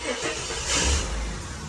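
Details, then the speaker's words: Series 2 AU Falcon with an upgraded in-tank fuel pump module just fitted: at key-on, a short, soft high hum from the tank as the pump primes normally. It is a tiny bit louder than the standard pump. "It is a tiny bit louder than the standard pump, but honestly, when I fit these pumps to most cars, you can't even hear them."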